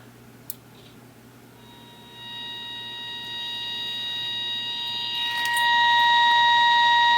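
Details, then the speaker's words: Baylor 6 transistor radio on battery, after replacing the mixer-oscillator and second IF transistors with 2SA101s: a clear, steady beep-like tone grows louder and holds as the injected 455 IF test signal reaches the speaker. "So you can hear, there's our 455 making it through the radio. So now that you have seen that, you know that the radio is working as far as getting that signal through."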